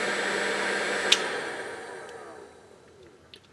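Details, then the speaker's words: 1400 W load plugged directly into a 120 V wall circuit, voltage dropping only from 117 to 113 V: even strong motor whir at steady speed, coasting down smoothly; healthy running at proper voltage. "plug in direct into a circuit drops down to 113 that drop four volts and wow that's lagging a lot better I can hear that so we're hunting a lot healthier and"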